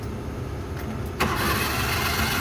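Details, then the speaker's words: Suzuki F6A engine in a Multicab that suddenly died while driving, cranked on the starter: fast, perfectly even spin with no firing or compression pulses. No compression; the timing belt is suspected broken. "Parang walang kompresyon ah. Putol belt nito, putol. Tingnan natin yung timing belt. Posible itong putol."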